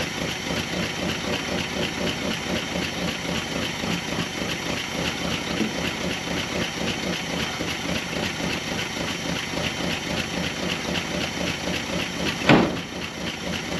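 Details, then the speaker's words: Dodge W300 4x4 dump truck V8, carbureted, revived after sitting a while, settles into a steady even idle on its own with no misses or knocks; running as it should, ready to drive. "it runs now too can move it i think that's round enough to drive so let's try it"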